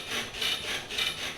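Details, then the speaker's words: Toyota Tacoma with Old Man Emu heavy-duty leaf springs, truck rocked after greasing the pins: dry rubbing squeak about three times a second, as bad or worse than before; owner suspects the springs themselves. "post grease easily as bad or worse it has to be the spring maybe maybe the grease will get in there"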